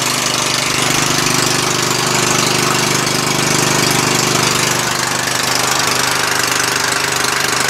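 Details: Murray lawn tractor engine after a valve adjustment; it spins over easier. Steady even speed with a clean regular beat and no knocks or misses; the engine is healthy, though the transmission does not drive the axle in gear.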